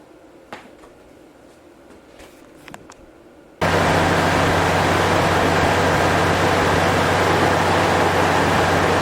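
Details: Toyota 3.4 first start after timing belt and water pump replacement, battery reconnected and oil checked: after a quiet stretch a steady even hum and low drone, no knocks or ticks; smooth idle.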